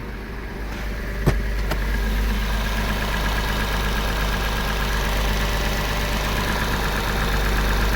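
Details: Porsche 986 Boxster flat-six petrol engine after IMS bearing replacement and other repairs, no engine light: steady, even idle with a smooth low hum and no knocks; normal idle.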